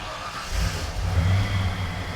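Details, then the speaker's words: 1993 Ford F-150 OBS lifted truck after new throttle position sensor, fixing stalling in gear, check engine light off: fires straight up, settles into smooth, even, low idle, no misses or knocks; normal idle. "Cranks right up. Idle's great. Hey, I'm happy as crap about that."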